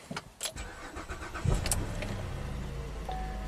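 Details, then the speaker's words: GM 3.6L V6 with suspected stretched timing chains, 11 codes including bank 2 lean, runs poorly when warm: starter whirs, engine catches and settles to a smooth idle, quiet with no timing-chain rattle at start-up. "It seems to be pretty quiet. I didn't hear any rattling under the hood."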